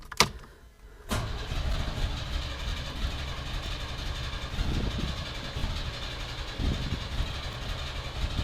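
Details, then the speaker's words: 1991 Chevy S10 Tahoe after new starter swap, coil wire reconnected: sharp click then strong, even cranking with no thumping or grinding, but engine won't fire — crank, no start; earlier fuel pressure problem noted. "Well, it's not running, but the starter's sounding a lot better."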